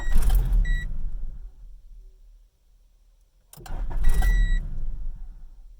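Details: 1995 Honda Civic EX, manual, 206,000 miles, shut off while driving; two short crank attempts with the chime sounding but it never fires. A failed ignition switch cuts the run circuit, fixed by replacing the switch but keeping the old key cylinder.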